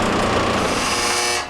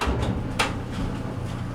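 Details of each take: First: Maytag LDE390 electric dryer running with a steady whirring roar and an uneven hum over it; lint buildup and a dryer sheet on the blower wheel throw it off balance. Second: Maytag LDE390 electric dryer after cleaning lint build-up from the blower housing, which had caused an odd noise at start: low steady hum, a few soft load thumps, no scraping or squeal; quiet again, repaired.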